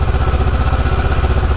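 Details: Kawasaki ER6f (Ninja 650) parallel twin after a fairing-rattle fix: even, low thumping idle with no buzzing or loose-panel rattle; fairing quiet, engine sounds healthy.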